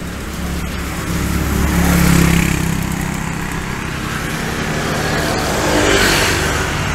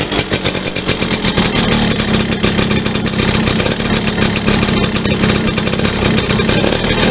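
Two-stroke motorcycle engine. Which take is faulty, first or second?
second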